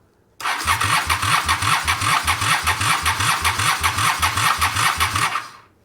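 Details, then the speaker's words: After reconnecting the wiring harness: steady starter cranking at about two and a half compression beats a second for five seconds, never firing; fuel present at the carburetor, but not enough fuel suspected. "What am I missing? Fuel to the carburetors. That's got fuel there. Should have enough to start. Probably not enough fuel."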